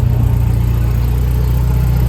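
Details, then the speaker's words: Nissan S13 after fuel system upgrade, first start after priming, checking for leaks: deep, smooth, even idle with no misses or knocks; injectors firing, normal idle. "All right, I think we're good. They're firing."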